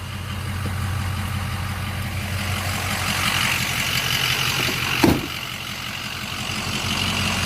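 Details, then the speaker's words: Blue truck idling, compared with a misfiring flatbed: steady even idle with low firm beat, no stumble or skip, brief knock midway; normal idle. "okay now we'll go back to the blue truck now this one's a good run"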